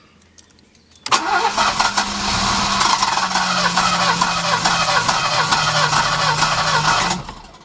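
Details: Alfa Romeo 90, first start after 22 years standing, new fuel pump just fitted: starter whirs steadily with quick cranking pulses, three or four a second, for six seconds; engine never fires.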